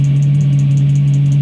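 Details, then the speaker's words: Chinese diesel heater after E-06 error fix with a new control board: strong low hum with a fast chirping rattle from the fan; owner suspects shot bearings or the new board's programming, not confirmed. "she's working fine except for that noise sounds like shot bearings"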